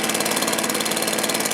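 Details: Stihl BR450 backpack blower after new carburetor, fuel tank vent replacement, coil air gap and low/high-speed carb adjustment: crisp, steady high two-stroke buzz with even firing, no stumble or surging; running healthy.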